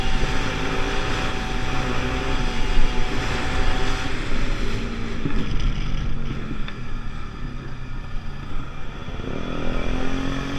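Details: Pulse Force 50cc two-stroke road test after fuel-starvation fix, GoPro on bike, 14-stone rider. Even drone through wind noise, revs climbing smoothly near the end without hesitation; fuel delivery normal.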